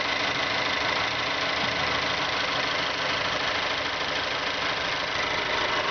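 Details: 2012 Mazda3 GS Skyactiv 2.0L gasoline direct-injection engine, 16,000 km: steady idle with a light, quick ticking over the top; the owner finds the tapping abnormal, but the dealer says it is normal.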